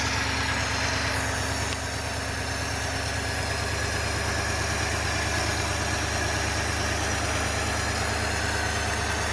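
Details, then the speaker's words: 1953 Ford Victoria flathead V8, not run for years, started by jumping the solenoid on 12 volts with an auxiliary gas can, no coolant in it: steady even idle with low pulse about three per second, no knocks or misses. "so I just jumped and um the car started up so uh let's hear it run"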